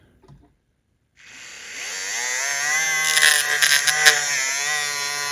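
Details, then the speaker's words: Repaired Life-Like HO scale F40PH locomotive with a 14:1 truck gear ratio, test running: a thin high motor whine rises and holds steady with a light gear hum, no catching or grinding. Motor and gears run normally. "Got to keep that truck straight. Everything's working fine. I don't feel any problems with those gears."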